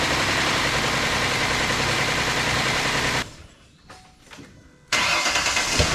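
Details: 2008 Ford Explorer engine first run after reinstallation: fast, fairly regular rattle about three per second over idle, then cuts out; timing chain noise found after putting engine back in.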